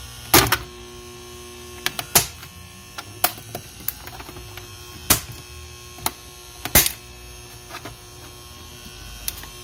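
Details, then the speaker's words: Used Rain Bird Professional sprinkler controller, plugged into mains. Faint steady electrical hum with a thin ringing tone under handling clicks; the owner thinks it comes from the transformer and doesn't sound good. Cause not confirmed. "the sound that it makes it sounds like the sound is coming out from the transformer and so that yeah it doesn't sound good"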